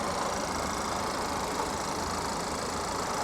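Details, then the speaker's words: GMC at salvage auction, about 94,966 miles, low coolant and check engine warnings, hood open: smooth steady idle hum under airy hiss, no knocks, ticks or misses; sounds good. "she sounds good though she does she sounds good"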